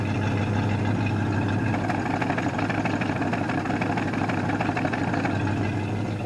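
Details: 1968 Ford Mustang coupe, off the road for 15 years, warming up after repairs; even, steady idle with a smooth low rumble and no misses, hunting or stumbles; engine sounds healthy and well tuned.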